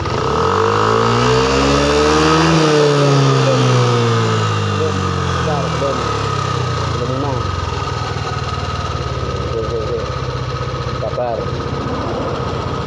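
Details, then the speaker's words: Yamaha Aerox injection scooter revved to half throttle with the pinched, stripped wire touched on: revs climb briefly then collapse as the 7.5 A headlight fuse blows and electrics die totally. "ini entar ya tak tempelkan dulu Enggak ada yang megang Ya sambil saya gas ya ini gas separuh saja putus"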